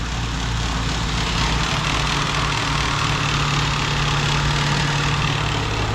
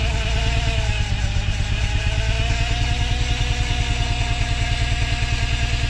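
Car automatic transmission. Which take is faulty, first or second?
second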